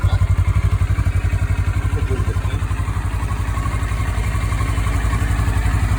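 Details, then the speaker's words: 2013 CFMoto 650NK twin on its stock muffler, before fitting a Musarri slip-on: started and settles into a steady, even low thump at idle, no knocks or rattles; runs clean. "I'm going to take off the stock huge muffler that they have on there. Just going to start it up and let you hear what it's like before I swap it over."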